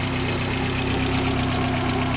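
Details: 1990 Mk2 VW Golf, temperature switch unplugged, suspected bad port and bad resonator: steady idle hum with slightly hunting, uneven beat beneath; uneven idle, cause not confirmed.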